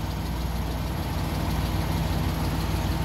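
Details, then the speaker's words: Suzuki Multicab F6A petrol engine at a steady, even low idle with a smooth rumble, no misses, knocks or hunting; after tracing the wiring fault to a short at the fuel pump that kept blowing the ignition coil fuse, it runs normally. "So ayan umaandar na. Ah try nating rebolusyon."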